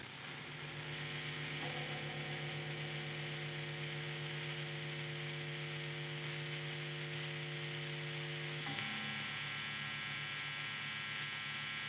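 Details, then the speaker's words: Electric guitar with grounded bridge through an overdriven amplifier: constant low buzz with steady stacked tones shifting as pickups are switched, quieter on one pickup; normal single-coil pickup mains hum. "we get these types of noises that are completely normal, now pay attention [Music] this is completely normal, it means that your guitar has a grounded bridge and that it is grounding this guitar with its body and that everything is fine because some noise is cut out"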